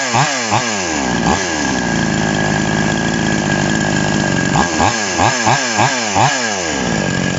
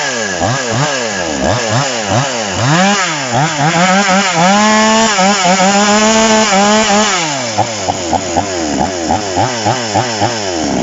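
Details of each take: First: TOMITSU 5800-body two-stroke chainsaw, just after initial carburetor adjustment with a screwdriver: crisp snaps from idle to high revs dropping back cleanly over several quick blips; healthy and responsive. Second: TOMITSU 5800 chainsaw with sprocket clutch, rapid blips then a piercing, thin high whine held near full revs; carburetor adjusted too lean, needs backing off when fitted with bar for cutting wood.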